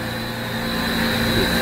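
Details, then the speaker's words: Refrigeration evaporative condenser outdoors at about 50°F, VFD just kicked in after bypass shutdown: steady even hum with faint high tone over airflow, condenser fans ramping slowly under VFD control, running normally. "you'd hear the sound that humming sound you know the VFD kick didn't hear that but you want that thing to wrap it slowly and up control the condenser"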